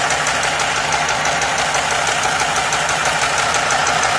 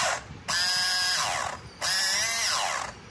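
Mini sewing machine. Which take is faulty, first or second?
second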